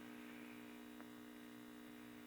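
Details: Kerenola Trav-Ler AM tube radio, trying filter capacitor values across the supply (22 µF clearly wrong, yellow 12 µF tried): steady fixed-pitch buzzing hum unchanged; filtering still inadequate, cause unconfirmed.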